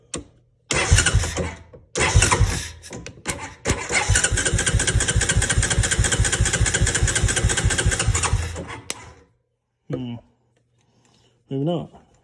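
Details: 2003 Honda Recon 250 ATV that sat unrun for many years, tried with a quick starting-fluid spray, a new coil and a new CDI box. Short starter bursts, then about six seconds of steady cranking at roughly two compressions a second, never firing: cranks but won't start.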